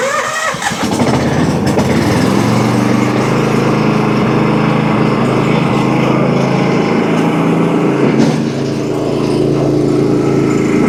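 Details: Early first-edition DR all-terrain brush mower after replacing bearings and idler pulley instead of the clutch (blades wouldn't engage): engine runs steady with blades engaged, even drone, no squeal, grind or rattle from clutch; running healthy.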